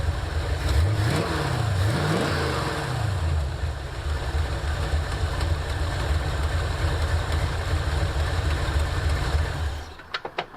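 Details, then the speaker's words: 1984 Ford Mustang GT350, restarted with key and clutch after starter replacement (third starter): two quick blips then steady even idle without ticking or puffing; sounds much better, drivable, oil leak remains. "Yeah. Sounds good. Huge difference. Sounds way better."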